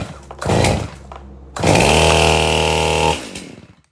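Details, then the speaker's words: Stihl MS271 chainsaw that wouldn't start, after repair with the sprocket cleaned and bar and chain refitted. A quick blip, then a clean high rev held about a second and a half and released; runs strong and even. "We'll fire it up, see if it's starting and running well. And if it is, then the saw is probably ready for pickup."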